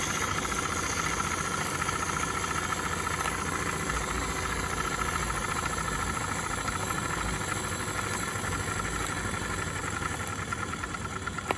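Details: Accucraft Ruby 5 live-steam model locomotive, owned since 2015, hot at about 20 psi, run stationary: steady steam hiss with soft, fairly quick even chuffing; runs good, normal running.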